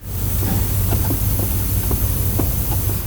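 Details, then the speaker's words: 2011 Chevy Cruze cooling system pressure-tested to about 15 PSI, microphone placed behind the exhaust manifold: faint irregular crackling ticks over a low hum as pressure slowly leaks past the oil cooler; engine underside coated in oil. "It's like a little crackling noise. That's the pressure leaking past the oil cooler. It's slowly leaking out the pressure and it will continue to leak until all the pressure is gone."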